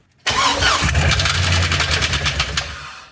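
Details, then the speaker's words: LS 6.0 V8 with 4L80E, freed with breaker bar, new injectors, coolant hose blocked off, custom intake with MAF: cranks, catches, runs lumpy with ragged pulses about three seconds then dies, like rocks inside; engine later blew a hole in block. "it still doesn't run saying sounds like it's got a box of rock sounds inside of it"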